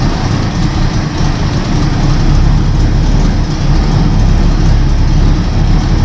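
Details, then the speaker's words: Freshly rebuilt Buick 401 Nailhead V8 (second rebuild, now non-smoking) just installed in the car after oil priming and fuel priming with an electric pump, first start: fires easily into a deep, even, loping healthy idle, no knocks or ticks. "Not expect it to fire up that easy. Listen to how good this sounds."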